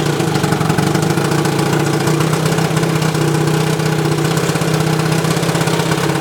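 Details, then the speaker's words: 1972 Evinrude 18 HP outboard revived after over a decade idle, 130 psi per cylinder, new points and condensers, cleaned carburetor two turns out, throttle by hand: steady fast two-stroke burble, even beat, no knock or misfire; runs normally, though not peeing water yet. "wakey wakey mr. 18 good compression good spark good fuel flow means boom she's just smoking"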